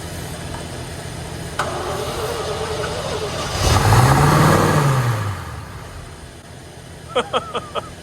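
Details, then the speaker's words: 1960 Corvette, first start in over 20 years after restoration, in neutral; starter turns engine at steady rhythm for a couple of seconds with no firing, crank no start; points suspected but then found to fire. "Probably not firing. The point's probably not working."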